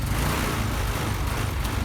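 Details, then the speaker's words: Honda Vario 125 scooter, hard to start in the morning, stumbles and won't rev even at full throttle until warm; lumpy uneven running, suspected low fuel pressure from the fuel pump. "Ini saya gas mentok pun dia nggak lari ya, tetap berebet-berebet aja kayak gitu."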